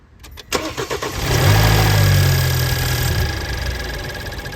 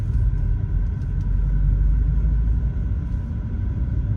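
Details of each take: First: BMW 428i F32 N20 after upgraded timing chain tensioner install, intake duct accidentally left unplugged: engine cranks, catches, then settles into an uneven, hunting, lumpy idle; rough idle from unplugged intake. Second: BMW 428i (F32) N20, warm engine, driving at low rpm after upgraded timing chain tensioner fitted to fix chain slack: low, even rumble with none of the former light chain taps, the timing chain now quiet.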